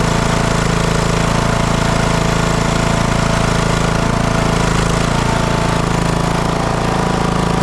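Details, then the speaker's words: TroyBilt lawn tractor that had sat, after aftermarket solenoid fix, run about half a minute on choke to warm before an oil drain: steady even engine beat, no hunting or surging; running normally. "choke I'm going to let that engine get warm cuz I'm going to drain the oil out of it"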